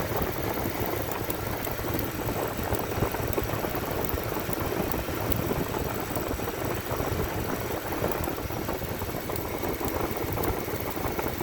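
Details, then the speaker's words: Cadillac Fleetwood with OptiSpark distributor, after coolant valve replacement, no coolant leaks: rough uneven idle with periodic soft bloop, each a misfire; owner suspects the OptiSpark distributor, not confirmed. "But she's running though. And so far we have no coolant leaks, so that's a good sign. I don't understand what's going on with it. Every time when you hear that bloop bloop sound, that is a miss."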